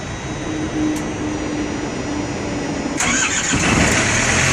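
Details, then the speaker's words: Truck reefer diesel engine, unused for over a week, with 3/4 tank of fuel: buzzing preheat, then it catches at about three seconds and settles into an even, steady idle; clean start. "Diesel engine starting. I haven't had it ran for a week. Over a week."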